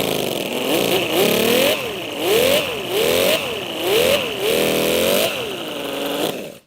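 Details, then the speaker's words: Mini V12 250cc model engine, damaged and overheating after a dyno run, tested before teardown: note swells and sags about every second in a chuffing, uneven, train-like rhythm; running rough, suspected compression issues. "definitely sounds like some compression issues sounds like a train engine or something"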